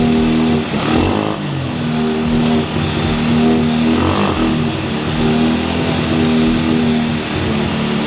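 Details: Cheap quad bike ATV after new wiring loom, cleaned carburettor, new spark plug, CDI, regulator, battery and clutch, jump-started and warming up: small engine idles evenly and picks up cleanly on short revs, dropping back smoothly, no misfire; normal running.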